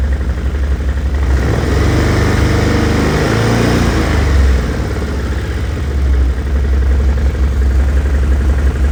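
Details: Engine knock on a Stels Gepard 800 ATV: deep, lumpy engine note rising and falling with a rev, a dull knock riding the low end; cause unclear.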